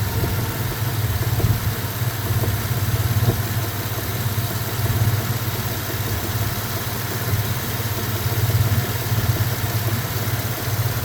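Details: 2000 Dodge Dakota 3.9 V6 idling low and steady, with a faint, uneven knock tapping about three times a second; the owner is unsure of the cause.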